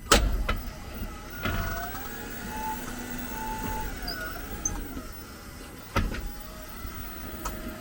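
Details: 2022 Jeep 4xe: thin high wavering squeal for a few seconds over quiet idle with clicks, occurring when reversing and braking or shifting to P; persisted after dealer brake cleaning; origin unclear, likely brake area.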